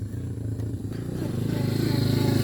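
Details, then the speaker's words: Yamaha SZ/FZ 150 single-cylinder motorcycle, after a loose negative-wire terminal connection was cleaned: the engine starts and thumps along evenly, picking up a little, with no grinding or misfire. It is running normally. "Ayan, pagka sinusi ko ang motor, pinastart ko, hey, gumana na."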